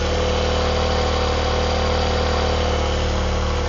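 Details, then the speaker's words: Honda CBR250RR MC22 four-cylinder with a quiet exhaust, start-fluid misfire test: steady idle with a slightly uneven, lumpy beat unchanged when cylinder four is fed fuel; cylinder four dead, fouled plug, while cylinder one needed more fuel. "No change on cylinder 4 again. If you hear one picked up, no change in cylinder 4. So that tells me this has got two problem, two separate problems."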